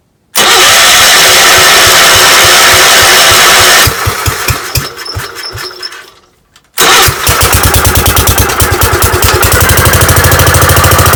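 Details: Gravely 5665 first start on newly installed Chinese carburetor, mixture screws at 1.5 turns, air cleaner fitted, unloaded: fires straight away into strong even beat, stops briefly, restarts cleanly and pulls steadily; ran perfectly, load test still pending.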